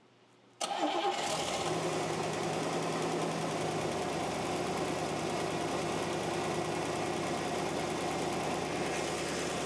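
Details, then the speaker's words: First start of a freshly reinstalled engine and transmission in a drag car, with paint burning off: it cranks, catches at once and settles into an even idle. The former lifter tick is gone and the valvetrain is silent. "Okay, it's a success. It runs. That's all the paint burning off. >> Yes. Score. And it's silent. No more lifter tick."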